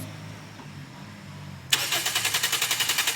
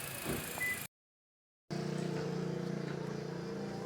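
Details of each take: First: 2016 Toyota Altis Grande no-start: the starter cranks in steady pulses of about four a second but the engine never catches; the fault is a bad relay, later fixed by replacing it. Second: 2016 Toyota Altis Grande after the faulty relay causing its no-start was replaced: the engine catches and settles into a steady, even low hum with no misses or knocks, a smooth healthy idle, problem solved.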